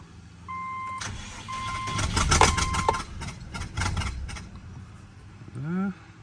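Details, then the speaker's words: Subaru Legacy XT with bad motor, first start after refitting coil packs and plugs: catches and stumbles with an irregular lumpy beat; misfire, suspected another missing spark plug and coil pack or possibly an exhaust leak. "I don't know if that's an exhaust leak or if there's another coil pack that's missing"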